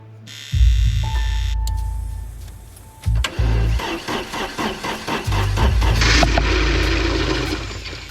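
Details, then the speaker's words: 1982 Porsche 924 Turbo after about two years stored, clutch in, fuel pump primed: starter turns the engine over slowly in uneven pulses, about three a second, and it never fires. Owner thinks there's no fuel in it. "Turn over really slow. Come on. [Music] [Music] I don't think there's any fuel in this."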